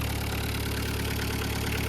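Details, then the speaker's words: VW Caddy pickup 1.9 diesel, jump-started on a weak battery, cam belt history unknown; steady even idle clatter with a firm low throb, no misses or odd knocks. Normal idle, sweet as a nut. "This sounds sweet. Sweet as a nut."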